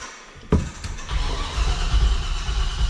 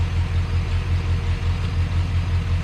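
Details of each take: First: 1985 Chevrolet C30 dually, LS-swapped 6.0 V8, drive-by-cable: starter churns with rough uneven chuffing but never catches; flooded, fuel-soaked plugs after new fuel pressure regulator; new AC Delco plugs to be fitted. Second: 1985 Chevrolet C30 crew cab dually with a 6.0 LS swap, after a large vacuum leak was fixed and plugs fouled by a bad fuel pressure regulator were dealt with, has a deep, even V8 idle with a steady low throb and no stumbles or misses; it runs smoothly.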